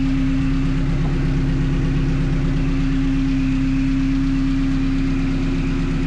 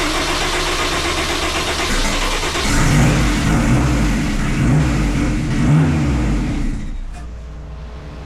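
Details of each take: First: 1974 Alfa Romeo GTV fitted with a Honda S2000 engine and 6-speed transmission, first runs after e-throttle calibration; idle settings adjusted to a steady, even idle at about 900 rpm with no misses, knocks or hunting. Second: 1974 Alfa Romeo GTV with swapped Honda S2000 engine, first start after sensor checks and e-throttle calibration: engine fires, then revs straight to about 3,000 rpm and holds hard against an apparent fuel cut before dropping; idle calibration is off, so it was shut down quickly.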